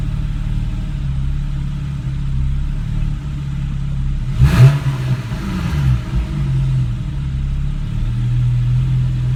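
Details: 2013 Porsche 991 Carrera 4S idling on its own with one rev: low idle with an uneven, lumpy beat, the single blip stumbling before settling back; rough idle and hesitation.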